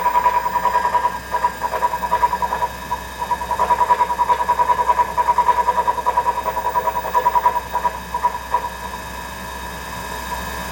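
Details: Treadmill running with a steady whine and rhythmic rumbling thump, two to three beats a second; front roller already replaced with new one without change, owner believes noise comes from the motor, not confirmed.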